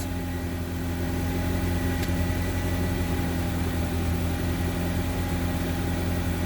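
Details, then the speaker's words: Honda CR-V after repairs with new belt fitted, just started: even, settled idle with no clicks, bangs or misses, not running backwards; running normally, power steering then bled. "No weird noises. No explosions. No obvious click, click, bangs. So it's not running backwards."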